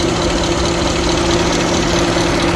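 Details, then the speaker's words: Radiator cooling fan of a 2017 Genesis EQ900 5.0L with 90,500 km running continuously at idle, watched for an hour after arrival. Steady whooshing fan roar with a constant hum over a quiet idle, never cycling off. The mechanic checks coolant concentration (−50°C) and finds high oil viscosity. "엔진 판 돌아가는 소리입니다. 잠시만 들어보십시오."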